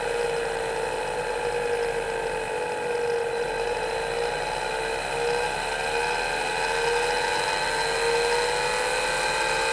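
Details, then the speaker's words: Hard drive in an IBM 5161 expansion unit attached to an IBM PC 5150, about 40 years old, recorded with the microphone close to the drive: a high whine wavering in pitch on spin-up until it steadies; the spindle speed is unsteady. "well that was a bit strange it takes the spindle a while to run up to speed but you can hear it varying speed until it sort of steadies"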